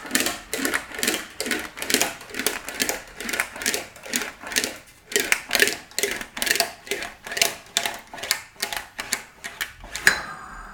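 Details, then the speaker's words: Wolseley Hornet Swallow sports body panel on a hand-powered English wheel with a medium crown wheel, on the backward pull-down roll: steady rhythmic rattling about once a second as lumps and mallet marks chatter under the wheel and begin to disappear. "so on the backward backward roll pull down not too wet so you can hear it rattling through it rolls out"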